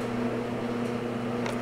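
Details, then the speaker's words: LG DLE2516W clothes dryer running after replacing worn drum roller wheels that caused thumping; smooth steady hum, soft even rumble, no thumps or knocks. Repair a success, normal drum rotation. "okay silence that works really well sounds so much better so that's a success"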